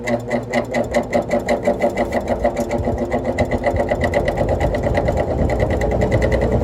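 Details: 1950s GE box fan with diffuser grille, blade rebalanced, spinning up: fast even chatter over a loud motor hum rising with speed; the motor bearing has play and needs a full teardown, worn motor bearing.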